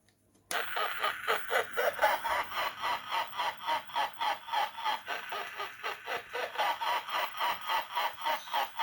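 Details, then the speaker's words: Topstone Halloween animated ghost figure, sound switch possibly dirty or rusted: laugh repeats in fuzzy pulses almost four times a second, muffled and crackly; distorted playback, owner suspects IC glitch, cause unclear. "it makes the classic laugh sound which sounds a bit distorted and muffled but I guess that's just the recording"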